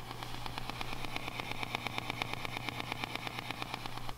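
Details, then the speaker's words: Fender '68 Deluxe Reverb amp, heard via room mic: sharp even tremolo ticking about seven per second over steady hum; ticking in both old and new amps, quieter here. "so i'm sure you can hear how they both are are exhibiting that ticking it does seem quieter in this um which is good"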